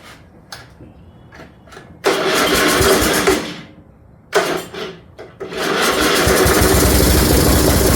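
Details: 1974 Dynastar lawn tractor, sat about 30 years, short muffler and battery hooked up: starter cranks in short bursts, then the small single catches and settles into a steady running drone; starts and runs fine.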